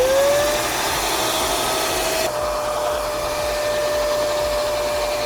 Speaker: Once the drain line is clear, if you either go to your float switch or your clean out T, you can now hear that the drain line is clear because the shop vac is making the noise, pulling air